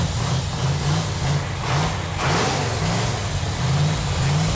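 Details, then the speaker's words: 1969½ Dodge Super Bee 440 Six Pack V8 on engine run stand after paint, first fire after fixing loose fuel lines: deep, even burble swelling with throttle blips, no misses or knocks; runs well. "feels really good to hear that engine run. Yeah, feels good. That engine sounds so good."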